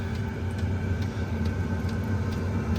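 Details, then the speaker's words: Chinese diesel heater installed in a Four Wheel Camper, running on a low setting: steady fan hum with a light tick about twice a second that increases at higher settings; heater running normally. "And it is on like a low setting, so I can kind of crank it up. It will get louder. And the ticking increases, but I think this amount will fill my camper with warm air, nice and perfect."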